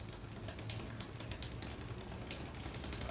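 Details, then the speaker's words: Bicycle rear derailleur drivetrain spinning with irregular light clicking and ticking as the chain rubs the next cog due to low cable tension; fixed by turning the barrel adjuster out to add tension. "it needs more tension turn the barrel adjuster out a little and we are good now let's run between the sth and second gears"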